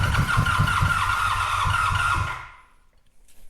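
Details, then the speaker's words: 1985 Honda VF700 Interceptor V4, carburetors exposed and run on carb cleaner spray, oil pressure present: catches and fires evenly on all four cylinders for about two seconds before dying, with no nasty noises. "Got oil pressure. I'm not hearing anything that sounds too nasty, so I'm willing to give it another try here. Let's see. Looks like we fired on all four there."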